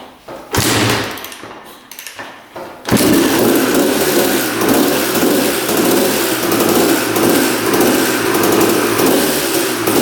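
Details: 1989 Honda CR250 two-stroke dirt bike, long sitting, after motor mounts tightened and idle adjusted: after a few thumps it catches and holds a steady burbling run without a crisp edge, smoking heavily; owner suspects the tank mix is too rich and hopes the crank seals are fine.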